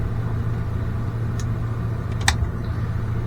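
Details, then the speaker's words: Schumacher XTR21 Pro21R nitro engine on the bench after over 3 hours of tuning (carb stripped, linkage moved, new fuel filter, different plug) holds a steady, even buzz with no stumbles or surging; much improved, though still running a bit rich. "a lot better than it was that's taken all afternoon"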